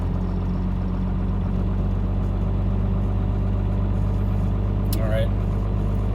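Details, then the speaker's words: 1997 Dodge Ram 3500 5.9 12-valve Cummins, hard start after sitting hours, about 42°F: cold diesel idles unevenly with loping beat and missed pulses, not on all six; failing lift pump, replaced. "yeah kind of a rough start it's not running at all six"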